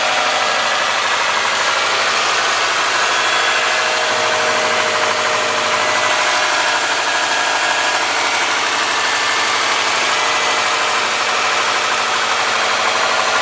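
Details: '03 Subaru Forester, 178k miles, ~150 miles after head repair for a dropped valve guide, cold idle: fast light ticking tracking engine speed from driver-side front exhaust valve, clearance .029 vs about .010; adjustment cured it.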